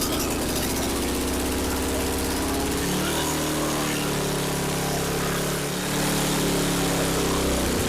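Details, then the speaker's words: Murray 8hp snowblower, Tecumseh engine, sat all summer, bad fuel suspected, after carb cleaning: runs steady and even but noticeably fast, settling a touch higher; idle too high, to adjust at screw or governor arm. "all right cool Run's pretty good the only problem is the idle's a little high so I'm going to have to adjust that"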